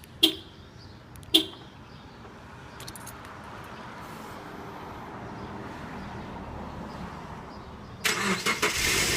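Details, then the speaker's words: 2010 Subaru Forester after removing the rattling catalytic converter heat shield, cold start: a couple of sharp clicks, then a quiet, even petrol idle with no rattle underneath; slightly loud cold-start noise, rattle remedied. "uh it sounds like it worked definitely not as loud as it was upon the first start uh I do know when Subaru's cold start they are a little bit louder so there was a little bit of noise there but I really think that's just from the cold start"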